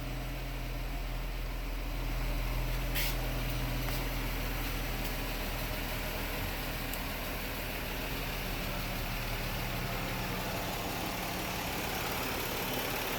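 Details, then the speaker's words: 2000 Nissan Maxima, 118,000 miles, no codes, intermittent hard start (once took 15 tries; owner says not the battery): restarted by remote, it now idles with a steady low rumble and even beat, no misses or knocks. "I'm gonna restart it again using my remote and let you hear it. It started that time, but most other times it'd be hard."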